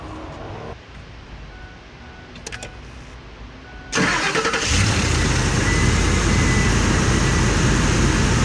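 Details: 2004 Ford Explorer 4.6L V8 after spark plug hole re-threaded with Triton insert kit, following plug blowing out and breaking ignition coil; cranks briefly then settles to steady even idle, no tapping or misfire, repair successful.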